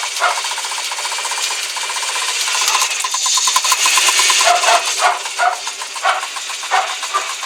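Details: Hydraulic lifter tapping on a cold engine: fast, light ticks from the top end over the running noise, typical of lifters that haven't pumped up.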